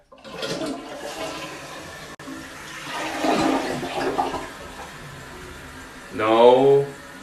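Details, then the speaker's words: First flush of a newly installed toilet on a new flange set in concrete: a full, even rush of water into the bowl, then a clean refill gurgle; the flush is normal and unobstructed, with no leaking onto the floor. "all right the water closet is full it's time for the first flush if water comes around all over the floor it's not a good sign"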